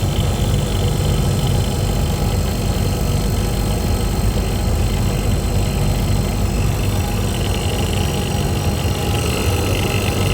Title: Compressor making noise